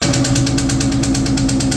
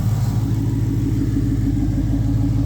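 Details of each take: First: 2003 SVT Cobra with a new forged 4-valve engine on first startup, possibly after losing oil prime: sharp, loud metallic tapping about eight times a second over the idle; a cam follower fell off completely, so valvetrain knock. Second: 2003 SVT Cobra V8 idling after an earlier tapping/knocking noise was fixed, good oil pressure, possibly some air still in the system. Deep, even, smooth rumble with no ticking or knocking. Normal idle.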